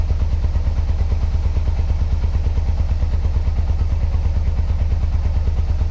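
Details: 1986 Yamaha Venture Royale 1300 motorcycle, 86,000 km, first start after 7 years on old gas and 7-year-old oil; even low thumping with dull clatter near two knocks a second at idle, knock blamed on old oil, cause unknown.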